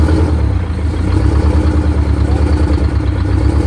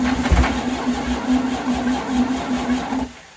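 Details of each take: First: Detroit Diesel 92 series military-surplus engine, sat 20 years, in a bus, idling after first start on cold oil, dash oil pressure 75: loud, steady clatter, even firing beat, slight speed drift; runs cleanly after priming. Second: Detroit Diesel 92 series that sat 20 years, installed in a bus: steady cranking with even low pulses for three seconds, no catch; it acts starved of fuel despite pre-primed rails, with air in the fuel system suspected.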